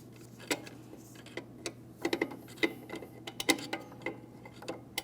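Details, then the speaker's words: 2003-2008 Toyota Matrix rear drum brake during wheel hub replacement, adjusting shoes with drum on hub: sharp light irregular clicks of the adjuster lever ratcheting on the star wheel; normal drum brake adjuster clicking. "You hear that clicking noise? That's the sound of our adjustment lever doing its job."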